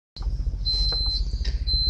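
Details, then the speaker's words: Battery-powered cab air conditioning unit's low battery alarm: shrill high beeps in short repeated bursts over a low cab rumble, incessant for weeks, though batteries checked multiple times and found fine. "and now I have to go through this um incessant non-stop beeping day after week after a month"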